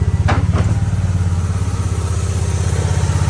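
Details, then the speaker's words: Mitsubishi Eclipse GST, 4G63T turbo: lumpy, loping idle with heavy uneven thumps, badly misfiring; testing shows only two cylinders firing and two dead, cause not yet found. "I'll show you guys the misfire [Music] though see it sounds like crap"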